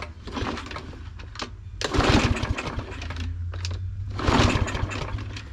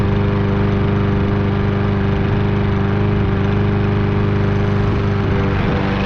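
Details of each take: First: Fairly new Troy-Bilt mower, no-start: repeated pull-start cranking after spraying gas past the pried-open automatic choke, no firing; engine turns over but won't start, traced to a sheared flywheel key. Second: Troy-Bilt lawn mower after carburetor cleaning and fresh fuel, cutting thick grass despite low compression: steady even drone with no surging or knocks before shutting off; normal running under load.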